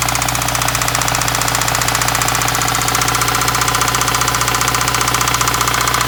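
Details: 2015 Subaru WRX, 49k miles, at idle: a hard, evenly spaced knock rattling steadily at about two and a half per second, consistent with rod knock.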